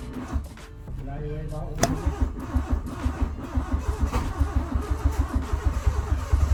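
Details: Honda Civic EK hatch on its fifth start attempt after an engine rebuild, first start in 3 months: long stretch of starter cranking before the engine stumbles into uneven firing and slowly picks up.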